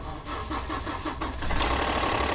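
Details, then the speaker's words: Ford 3.5 EcoBoost, jump-started after sitting unrun for a while, with the alternator reading 14.7 V. Light, quick valvetrain ticking over the idle in the first seconds after the start, which quiets down; it is called a typical EcoBoost cold-start chatter, and the engine otherwise runs great. "okay that'll quiet down see that'll quiet down if you don't know that's an EcoBoost thing welcome to the wonderful world of Ford they love to chatter when they first started they haven't been run for a while"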